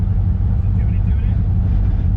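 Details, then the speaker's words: Car on a cross-country road trip, back at the shop after wastegate and driveshaft fixes: heavy, uneven low rattle over the idle in neutral, the same horrible rattling as before; transmission or driveline suspected, not confirmed. "but now there is that same problem that we ended up here for it's like this horrible rattling"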